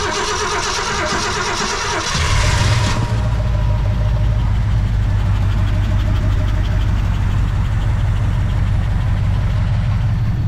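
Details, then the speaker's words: 1966 Ford Fairlane Z-code 390 FE V8, 4-speed, first run in 20+ years after Autolite 4100 carburetor rebuild: cranks about two seconds, catches, settles into a smooth, even deep idle with no knocks or misses. "Thank you, Miss Jamie. Running like it's supposed to. I was letting it idle for a second."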